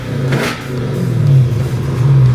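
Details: Dodge Hellcat V8 that had rough idle without codes, after teardown and repair, on jump box: short blip of revs climbing and falling evenly with no stumbles or misses, no shaking; runs clean.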